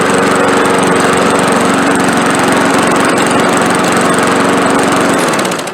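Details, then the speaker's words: Old Walmart push mower with 5.5 Briggs engine, formerly surging and skipping, after carburetor cleaning with carb cleaner: steady even small-engine drone at constant speed, no surging or skipping, then cut off; runs properly. "so there you go that's about as good as you can expect a free push mower to run"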